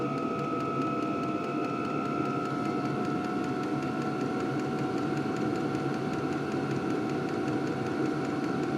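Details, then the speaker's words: LDHTHOPI diesel heater turned from a middle setting up to maximum temperature: steady fan roar with soft, quickening fuel-pump ticking as it ramps up; outlet temperature rises past 200°; normal operation. "so I'm going to put it all the way up to Max temperature and it's going to slowly start to ramp up I can hear that that fuel pump clicking"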